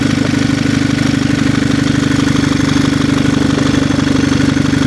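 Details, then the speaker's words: Turbocharged Audi A5 six-speed manual bought broken from auction, started as built-up debris blew out of a clogged catalytic converter: steady even idle with regular low pulse, no knocks or rattles; runs cleanly. "But first, we're going to fire it up because I suspect it's going to run a lot better now."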